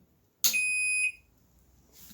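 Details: Microwave after fitting a new fuse (only 7 amp fuses obtainable) following storm, switched on at the wall: single clean high beep about half a second long, then quiet; control board powering up normally.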